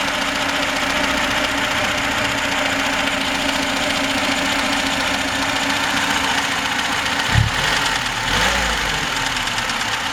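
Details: VAZ 21063 at steady idle: a fast, regular metallic tapping over the engine plus brief clunks. Engine knock of unclear cause.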